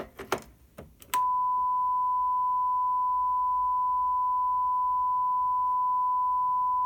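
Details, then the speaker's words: Loud, steady ~1 kHz microphone feedback howl that locks in after a few taps, on a Behringer PMP3000 powered mixer channel with head-amp gain around 74–75; channels show roughly equal gain-before-feedback but differ in hiss. "For all intents and purposes, they have roughly the same gain before feedback potential."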